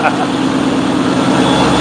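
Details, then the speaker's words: ProCharger supercharged V8 race car idling, heard from the front. A smooth, steady idle with a faint high supercharger whistle and no excessive noise; normal. "see it's really not that noisy it's just got a little whisk to it just enough that people know that it's not stock it's got a real nice tone to it"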